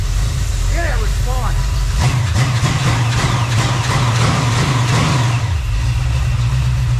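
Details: Freshly rebuilt small-block Chevy 350 on its first test run: it fires about two seconds in and settles into a steady low burble with no knocks or misses. Normal idle.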